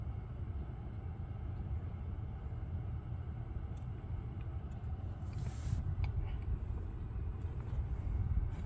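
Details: Lucid electric car driving after a buzzing noise cleared following a logo reset: only a smooth low road rumble, with no buzz or whine on top; sounds normal.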